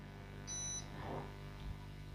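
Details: Homage Tron Duo UPS showing fault 16 (also fault 11), output voltage fine; repairer says removing certain grips clears faults 11 and 16: one short high-pitched beep about a third of a second over low mains hum; fault 16 alarm.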